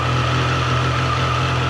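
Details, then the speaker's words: Triumph Tiger 800 Sport after first service, owner worried about cam noise: smooth steady idle with light mechanical hum, no ticking or rattle on top; normal idle. "Not much with that. That sounds good."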